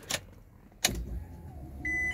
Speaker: ah oh yep I heard it I heard it go then we have got power yes yes yes